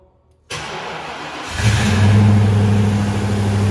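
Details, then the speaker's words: Ford Crown Victoria Police Interceptor V8 (2003 chassis under 1979 F-150 body) on stock mufflers: brief crank then smooth, even deep idle; earlier no-start was a bad battery, fired right up after swapping in good Group 65 battery. "Went back, popped my good battery in, boom, fired right up perfectly."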